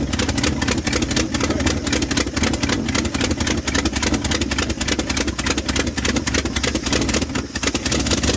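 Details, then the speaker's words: 1978 Dodge D100 Step Side after fuel pump swap: very slow, lumpy, hunting idle barely staying lit; owner thinks it's idled down too low and carburetor screws or mixture need adjusting, unconfirmed. "It's running pretty rough. Almost like it's idled down too low. Um could just be one of these screws need adjusted."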